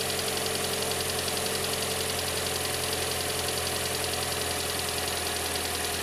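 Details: Kia Sportage 4 engine at steady idle: faint, fairly quick tapping about three or four beats a second over the hum; engine knock, cause not pinned down.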